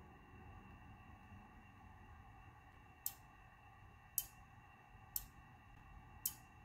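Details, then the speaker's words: Magnis SDR kit build, receiver band relay K1 and TX/RX relays K2/K4, switched between 14 MHz and about 9 MHz. Four crisp single clicks over a quiet hiss: the relays switch normally. "so the band relay i'll just swap between uh 14 megahertz and it clicks to the lower band around about nine megahertz so you should hear those relays clicking"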